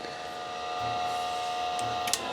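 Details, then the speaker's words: Datavue Snap 1+1 portable MS-DOS computer, after gentle twisting: its hard drive whines as it tries to spin up and the heads click while initializing, but the laptop shows nothing. "oh okay definitely sounds like it's trying to spin up it doesn't look like the laptop's doing anything"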